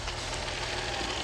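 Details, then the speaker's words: 2006 Dodge Magnum with high idle at times, after replacing a leaking O-ring part: short steady even idle, no hiss or hunting; normal idle after repair, before throttle relearn. "Yes, guys. Sounds so much better."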